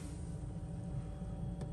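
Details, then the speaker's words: 12-volt fridge freezer in a Sprinter camper van, a couple of minutes after its thermostat was replaced: quiet, steady low hum with a faint constant tone; compressor running normally and the fridge is working again. "Right, yep, I can hear the compressor. So I think I fixed it."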